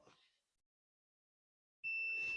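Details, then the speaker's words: Nissan Townstar window switch diagnosis, multimeter continuity test on the ground wire: silence, then a steady high-pitched tone that holds unbroken; the ground has good continuity, and the switch itself is suspected faulty. "on wire Think you can hear it. We do have good continuity."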